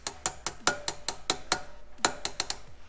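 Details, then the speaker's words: Rear wheel spokes on a 2002 Honda CRF450R dirt bike plucked by hand: some ring bright, while a really loose spoke that moves by hand gives a dead, flat sound. "but this one over here see how I can move it up in my fear hear how it has a dead flat sound versus that"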